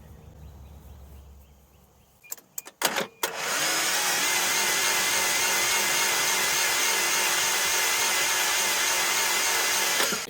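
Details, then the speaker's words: 1983 Toyota 22R (Encore motorhome) sat over 20 years, original ground cable fitted: fast even strong cranking about four pulses a second, no drag; poor ground cable was the cranking issue. "definitely have a ground cable issue because this one makes that starter really come to life"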